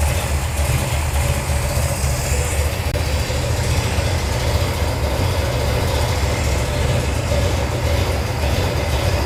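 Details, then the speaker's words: 1978 Dodge D200, 451 ci big-block Mopar V8, first start on a new out-of-box Edelbrock VRS 850 carb, cold: settles into a steady, deep, even idle. Idle is a little slow and float levels slightly high; otherwise a normal idle. "Fire in a hole. Idle's a little slow, but it's idling. And it's cold."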